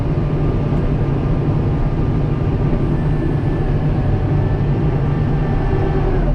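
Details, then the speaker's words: Kubota M7060 tractor pushing snow under load: fine loose rattle over engine drone, owner suspects the four-wheel-drive lever, a common complaint on this model. "you guys can probably hear that rattle that's that four-wheel drive or that uh my four-wheel drive pull lever soon as it soon as tractor hit 100 hours and started rattling"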